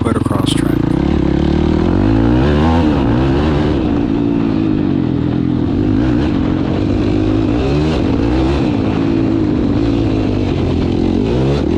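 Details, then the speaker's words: 2021 YFZ 450R single-cylinder on its first test run with an HMF slip-on exhaust and fuel optimizer, full-throttle. Revs climb cleanly to redline and drop back with no backfire or decel pops; fuel mixture seems right. "This thing is running like a beast and sounds like it should. No issues whatsoever. Hammer it to full throttle and it pulls and runs all the way to red line and wants to accelerate like a little monster."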